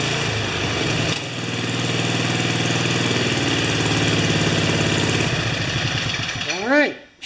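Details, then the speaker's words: 5HP Sno-Trac snow blower single-cylinder engine after several carburetor swaps and a stripped bolt re-tapped to 5/16, rope-started: steady, even governed beat with no rise and fall in speed; surging gone, runs smooth. "doesn't surge anymore perfect"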